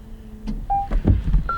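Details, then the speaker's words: Short rising series of clean electronic tones in a quiet cabin with no engine sound: a brand-new 2026 Toyota Camry Hybrid powering up normally, silent because it's a hybrid. "That shows that it's working, even though it's not making any noise."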